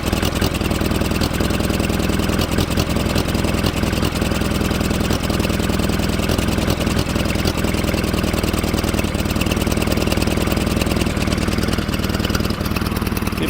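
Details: 1947 Farmall Cub idling to warm up after adding water and gas, chugging unevenly with skipped beats; right-hand valve beside the intake manifold stuck tight, causing the misfire.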